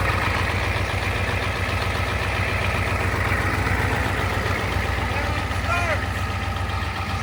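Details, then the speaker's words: 1988 Ford 7.3 IDI diesel idling just after turbo rebuild and reinstall (turbo had been noisy, dirt cleaned from under intake manifold): steady, even clatter with deep regular beat, no misses, a little smoky; sounds good, normal idle. "Oh, it sounds good. A little smoky."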